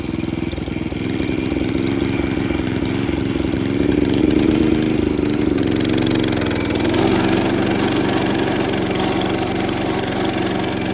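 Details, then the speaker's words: Roughly 70-year-old National reel mower with a Clinton engine, mowing under load: strains and lugs with an uneven, lumpy beat and a knock. Labouring, caused by a loose, cracked flywheel wobbling on its key. "That engine does not really sound happy. It sounds like it's working super hard. Huh. Did the flywheel fall off?"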